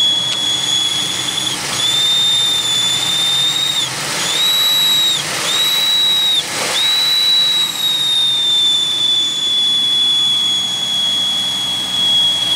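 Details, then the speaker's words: 2001 Pontiac Aztek just revived after sitting since February, heater on: thin steady high whistle at idle with short rushing bursts; misfire still reported, squeal source not found. "okay let's see what happens here's the whistle [Music] my god that noise"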